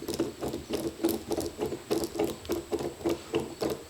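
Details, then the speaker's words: Cub Cadet M550 Challenger UTV hub turned by hand, rough rhythmic rasping about three times a second, sounding terrible; intermittent noise first blamed on the CV axle was a disintegrated inner wheel bearing, later replaced. "it sounds absolutely terrible. Um so it didn't take me long to guess that this was the issue after just playing around with it a little bit."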